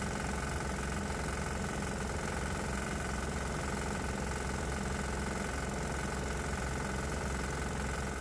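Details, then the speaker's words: 196 cc 3 hp single-cylinder diesel with propane injection: the engine smooths out and exhaust gas temperature drops, but an uneven tapping of about 220 a minute rides on the firing beat. A knock-like noise of unclear cause. "but I'm hearing a different noise and I'm not sure how to interpret that it almost sounds like the engine is knocking"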